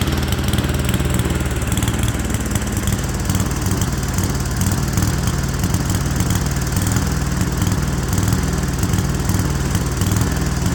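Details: Speedex model 1630 garden tractor with a new carburetor, driving under load under its own power for the first time in years on a reused old head gasket: a single-cylinder thump that is lumpy, missing and surging, running rough.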